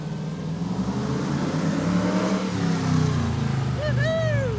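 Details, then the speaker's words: Hemi V8 Gremlin on street run after voltage fix for rev-limiting problem: deep V8 pulls up hard and holds revs cleanly without cutting out, car alarm chirping at end; rev limiter issue fixed, healthy full-throttle run. "So far so good. Fixed. No more rev limiter. And it's just loud enough to set off the car alarm."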